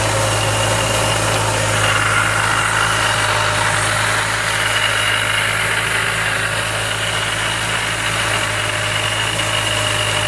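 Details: Mazda Miata with Jackson Racing M45 supercharger at steady idle under a constant rough whirring drone; abnormal supercharger noise, bad bearings suspected.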